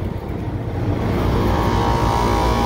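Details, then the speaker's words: Kitchen AC condensing unit, first stage with plugged liquid line filter dryer, over 100° outside: compressor gives a steady heavy, gravelly rumble, very loud; suspected low on oil or oil trapped by the plugged dryer. "so this guy and it sounds like it's low on oil or something but it could just be that the dryer's plugged up and that oil might be stuck"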